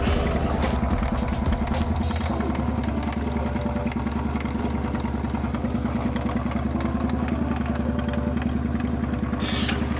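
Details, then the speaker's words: Suzuki SV650 motorcycle engine idling at a shop: uneven idle with a hard metallic clatter about three knocks a second; the mechanic diagnosed rod bearing/crankshaft damage and had it shut off. "He immediately said, after he told me to turn it off, he's like, that's crankshaft, or that's your bearings, yeah, rod bearings, basically piston, rod, bearings, crankshaft."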